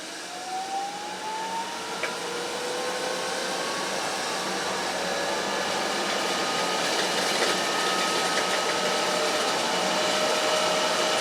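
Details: New 1.5 kW hydroelectric turbine in North Wales, first start-up after fitting the manifold: steady rushing water, smooth tone climbing as the runner spins up then holding even; normal running.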